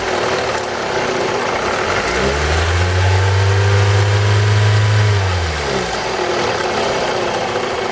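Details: 2002 Toyota RAV4 engine: regular knock around four per second at idle that quickens and swells through a rev and settles back; engine knock, owner suspects the VVT-i coupling, unconfirmed.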